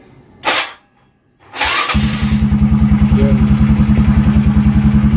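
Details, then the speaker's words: Yamaha Mio Sporty, 59 all-stock setup with stock carb (main jet 120, slow jet 38), started cold: two quiet clicks, fires at once into an even idle of about 3–4 beats a second; clean one-click cold start. "click mga ka- technique anan one click yun mga ka- technique kita niyo naman one click siya ngayon"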